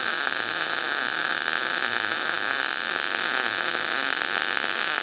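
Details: Everlast PowerMTS 141Si 120V multi-process welder MIG welding at 160 inches per minute wire speed, volts raised to 21: steady, even frying-bacon crackle with no pops or sputter; normal, smooth MIG arc.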